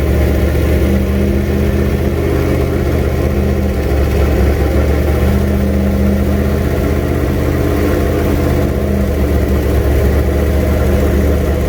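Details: Freshly built junkyard 351W turbo V8 in a 1967 Mustang at first fire-up, new headers and wastegate, fender-exit exhaust; lumpy uneven idle with slight hunting; runs but definitely needs a tune.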